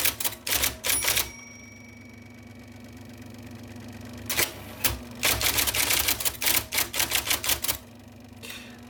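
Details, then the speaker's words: 1979 IBM Selectric II non-correcting electric typewriter, revived after fixing a miswired plug, cleaning and lubrication, typing normally: crisp, definite keystrokes in quick bursts over a steady motor hum. "I love that noise it's it's very definite it tells you in no uncertain terms I am typing letters for you"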